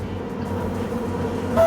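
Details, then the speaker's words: Large LG microwave heating lentils: steady, fairly loud low hum while running, ending with a short beep; excessive operating noise, cause not yet found, unit to be opened and checked. "यह देखें यह इस तरह की आवाज कर रहा [प्रशंसा] है तो बहुत तेज आवाज आ रही है"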